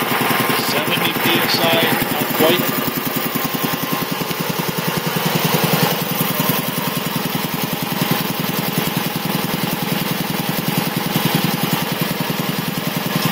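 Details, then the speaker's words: 1975 Quincy QR 325 compressor on a GE 5HP single-phase motor, pump slowed from 796 to 621 rpm; an even, rhythmic pumping thump holds steady while pressure builds quickly, no knocks or rattles. Healthy, normal running. "surprisingly enough it still runs very very nice and quiet so actually probably choir then maybe it originally did but still builds up pressure pretty quick"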